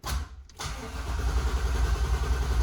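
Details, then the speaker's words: 1994 Impala with Vortec supercharger, fuel pressure gauge connected: the starter cranks evenly with a low chugging beat but the engine never catches; the fuel pump did not prime at key-on, so there's no fuel pressure. Crank, no start. "When you turn the key, it did not prime, so I know there's something wrong with the fuel pump."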